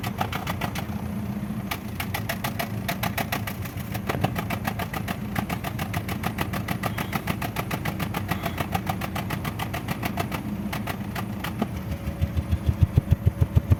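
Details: Engine idling with an uneven, lumpy beat and irregular puffs about three a second, occasionally skipping; engine misfire at idle.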